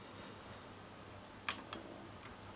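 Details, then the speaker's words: Pioneer A-P510 amplifier that would not switch on, after repair: one crisp relay click at switch-on, then a couple of faint ticks, display shows hello; normal power-on. "oh look at that it does say hello when you turn it on and if we turn it off says goodbye"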